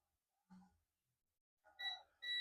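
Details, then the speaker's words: Dell Latitude E5250 logic board, no power and not charging: after quiet on the first capacitor, a steady high continuity beep on the second capacitor shows it is shorted (about 0.0–0.6 reading). "So this is the short capacitor."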